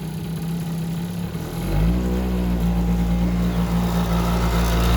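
Engine catches after a rough start and settles into a steady, even two-stroke idle with a low hum; running normally now.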